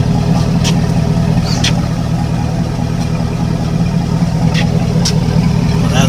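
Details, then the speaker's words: 1998 Suburban swapped to a 5.3 LS V8 with 4L65E transmission and a fairly quiet exhaust, idling on a cold Dallas day. Deep, steady burble with even pulse and slight exhaust rasp; sounds healthy, unlike a 350. "now I've just idling it sounds cool it doesn't sound like the roeckl 350"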